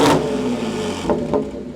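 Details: Audi S5 3.0 L supercharged engine after timing chain redo and valve covers opened, running a long time but not yet hot, possibly on bad gas; settled, even idle after a brief blip, no knocks or ticks; normal idle.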